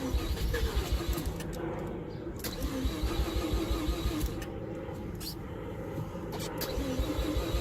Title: Rx7 fc3s wont start